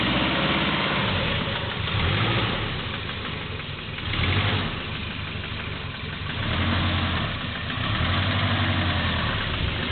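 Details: Subaru GL turbo labouring in mud: heavy, uneven deep knock at light throttle and idle, rising and falling with revs; worn engine with rod knock suspected.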